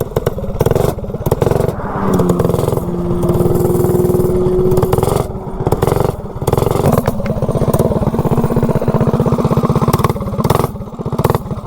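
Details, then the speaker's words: Predator 224-powered GTS minibike with a cheap generic 16-tooth 3/4-inch shaft centrifugal clutch, oiled, pulling uphill: the engine revs and drops unevenly with a shuddering judder on take-up; the clutch chatters and later slips. "so we are ways up here now and this clutch still kind of chatters when you get on it definitely not as smooth as the other clutches I ran on this bike"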